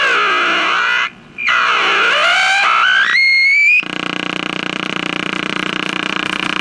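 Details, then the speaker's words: Packard Bell 35 AM radio, after confirming capacitor plates not shorting and removing an unschematic mica cap: whistles sweeping up and down, then harsh buzzing pulse about three times a second; still oscillating, cause unknown, IF alignment planned. "I removed the mica cap from there which is not shown on the schematic and it's acting pretty much the same it's pretty much a noisemaker"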